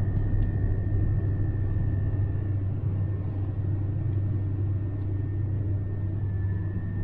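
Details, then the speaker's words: 2021 Lada Granta FL sedan, 90 hp 11182 8-valve engine, factory Kama summer tyres, in-cabin at steady speed with near-head/side wind: low even road rumble, no whine, hum or rattle; ordinary tyre noise, recorded around noise-insulation work. "почти встречный боковой летняя резина кама штатная я ушла с завода можете ощутить такого акустика в машине"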